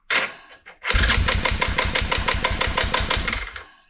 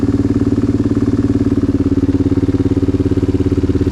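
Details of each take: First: Yamaha Grizzly 660 ATV after decompression pin/rod/spring modification, new lithium battery and 4-gauge wires: a couple of stiff hesitant first turns, then even starter chug about three per second; hard spot only at the very first crank. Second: Yamaha Grizzly 660 ATV after decompression modification, new harness, battery and radiator, brief first test fire: deep, throaty single-cylinder idle with even beat, no ticking or knocking, a few clicks near end; normal healthy idle.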